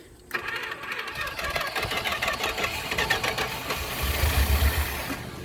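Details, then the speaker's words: 1976 Chrysler Newport after about 8 years sitting, fed starting fluid: uneven, labored turning over at three to four beats a second, catching briefly then fading; weak starter, engine won't stay running. "Dang it. Come on, stay running, you turd. That starter's weak. Dang it. Just does not want to stay running."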